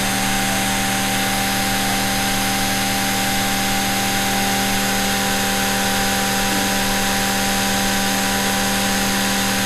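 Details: Vintage sewing machine series-wound motor after WD-40 lubrication: steady high whirring hum with bright brushy buzz, even speed, no knocks or rattles; runs healthy.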